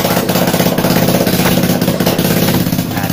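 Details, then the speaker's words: Yamaha Jupiter MX after cylinder block and piston kit replacement, fresh oil and coolant, idling without the exhaust to check for white smoke: even, quick puttering idle with a steady beat, no knocks or rattles; normal, no smoke. "Oke, di sini mesin sudah nyala dan kita nyatakan sudah normal dan tidak keluar asap lagi."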